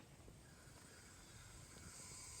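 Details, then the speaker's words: Garden weed torch after regulator replacement, valve cracked open slightly before lighting: a faint, steady, airy hiss that builds slightly, the light gas flow wanted before ignition. "this is where you got to be very careful cuz again this is gonna reach about 2,000 degrees but you want to hear just a little bit of airflow"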